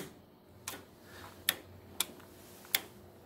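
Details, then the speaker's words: Swisher 2760B zero-turn mower, engine not running, after carburetor cleaning, starter jumpered: five crisp clicks at uneven intervals as the fuel cut-off solenoid snaps in and out; solenoid clicking normally. "so okay yeah we can hear that fuel cut off uh solenoid click"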